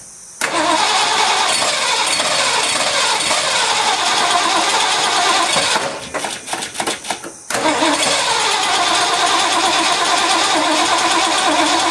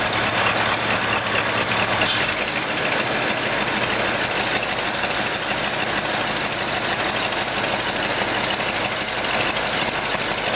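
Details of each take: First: Ford F-100 first start in 5 years after new spark plugs and rebuilt carburetor with doubled EGR-plate gasket: catches, dies to cranking bursts, refires and settles; runs pretty good, needs adjustment, slight exhaust issue. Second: Ford F-100 V8 on first start in five years, with new spark plugs and rebuilt carburetor: fast, uneven ticking over a rough, busy idle with hiss; small exhaust leak, and it still needs an adjustment.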